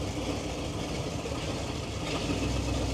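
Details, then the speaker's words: Old Chevy truck on choke with couple-years-old gas, fired right off cold: idles at an even low beat, a touch rough on choke, otherwise steady and healthy; needs new exhaust. "I I set the choke a little bit pumping gas gas is a couple of years old but you fired right off so that's the deal with it uh oh they sound so good"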